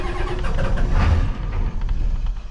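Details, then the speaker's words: Ford 7.3 IDI diesel, checking the glow plug module: after glow plug cycles, a heavy, low chugging crank with uneven firing that almost picks up, then fades; a hard start, cranking without catching. "now let's see if it starts she wants to oh she did okay let's do the glow plugs again"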